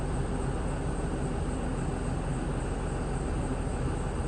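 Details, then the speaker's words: 2022 Tiffin Allegro Red 38KA diesel RV idling during an air brake test, brake set by the safety feature: steady idle with an even compressor chug building pressure normally until it kicks off at the governor, about 125 PSI. "And we're just waiting for that compressor to kick off, and we know all systems go. And there it is, that's what we were waiting to hear."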